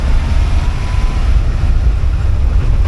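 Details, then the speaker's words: 1982 air-cooled VW Vanagon Westfalia, restored engine being run in while driving around the property: a loud, deep, steady rumble with no knocks or grinding; noisy, otherwise normal running. "noisy beast but I think that'll get better if I put an insulation into the back there"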